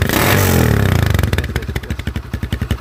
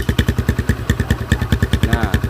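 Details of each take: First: Smooth, even putt-putt exhaust beat at idle after a quick blip on a motorcycle with a GL-type exhaust being customized, extended pipe fitted; sound tuned for smoothest note before welding by rotating the inner pipe opening. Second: Motorcycle with a home-modified GL exhaust, longer muffler insert fitted, at idle: loud, choppy idle beating about twelve pulses a second with a hard raspy edge; muffler insert position makes the note harsh.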